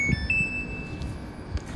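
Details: Samsung washing machine after jumpering the corroded door switch wiring, spin started: short high beep, then a steady high tone over a second, no dE door error beeps; normal control beeps.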